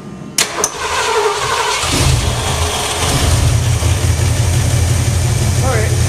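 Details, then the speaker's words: Ford Bronco V8 with mismatched carburetor (possibly from a 351 or 302, jets uncertain): cranks a couple seconds with empty float bowl, then catches and settles into a deep steady idle; engine cranking and starting. "now mind you it's going to be out of gas in the bowl so it's going to take a second of cranking to get it fired up but it should go"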